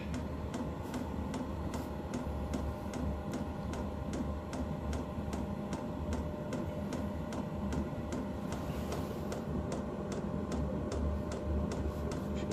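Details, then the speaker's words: DeWalt diesel heater, newly installed, firing up as voltage dips to 11.2 then recovers toward 11.9; crisp even fuel-pump ticks about twice a second over low steady hum while warming; normal startup with fuel pump ticking. "She's here firing up now. Winding up. It's 11.3, 11.2, so power the volts is going down."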